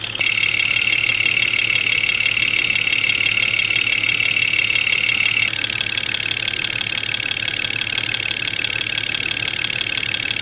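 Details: Jeep XJ Cherokee at 175,000 miles, intermittent knock since about 125,000 mostly when cold; chassis-ear probe on timing cover: steady idle with a sharp, even tick about three times a second; number five cylinder loud. Cause not confirmed.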